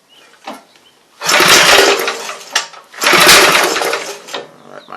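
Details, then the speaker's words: Briggs and Stratton engine after starter clutch removal and service: two strong bursts of running with no screech from the starter clutch, clutch working properly. "so that's what's left for me sounds like a home stretch so at that point you're ready to go for at least another year"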